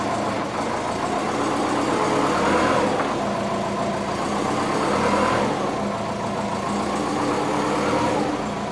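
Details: Twin-turbo (GT35 & TD05) Subaru Forester, first move since rebuild and new ECU; low murmur with uneven swells and dips every couple of seconds, never settling; running rough, owner unsure if cold transmission; 86°C, AFR target 14.7, vacuum leak suspected.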